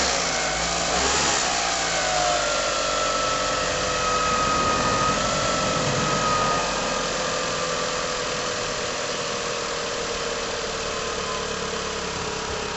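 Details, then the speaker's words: 2001 Mitsubishi Galant GLX SE 2.0 petrol, started after air filter replacement and throttle body cleaning with carb cleaner: catches cleanly, revs briefly, then steady even idle with no coughing and no smoke. Normal start and idle. "No smoke, so that's good."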